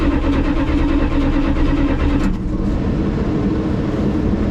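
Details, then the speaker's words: 1985 Dodge D150 cranked after replacing a bad ignition switch. A strong, even starter churn of about two beats per second holds steadily: the engine turns over normally. "so you heard it you heard it crank over now the bad thing is I'm going have to take this thing steering wheel off again"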